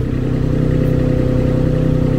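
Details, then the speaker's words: New Baumalight TRL620D mini skid steer running a grapple with the auxiliary lever held in place; deep, strained engine drone stays low and heavy with no rev rise as the hydraulics stall against relief; engine bogging. "thing now because this lever does stay in place you'll notice you can hear the motor bogging down that's one thing right off the bat uh that I don't like"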